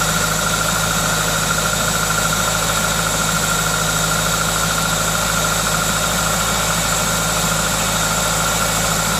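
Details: Toyota 2ZZ-GE four-cylinder: smooth, even idle with a steady hiss from the aftermarket induction kit, no knocks or ticks; normal, healthy idle.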